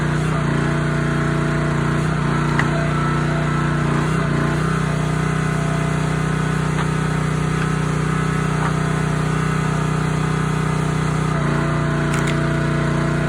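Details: Honda GX160 SplitFire wood splitter after carb clean and oil change for bogging and stalling; steady, even drone holds speed while splitting wood, no surging or hunting, runs healthy under load.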